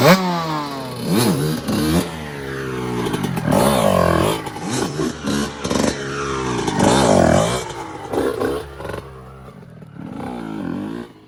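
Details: 1997 Honda CR125 two-stroke after rebuild (new Vertex piston, gaskets, silencer), on the stand: fires up and revs in sharp rising and falling bursts, crisp and clean with no knocking or misfire; healthy.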